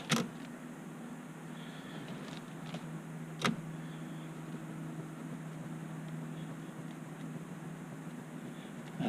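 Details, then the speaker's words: Chevy SSR turn signal switch that made plastic rubbing noise when the steering wheel turned, after repair with column covers off; engine hum with a few soft clicks, no rubbing, quieter than before. "that's actually pretty quiet compared to before left so the on/off mechanisms working it just seems to be a bit quieter so I think we'll be successful"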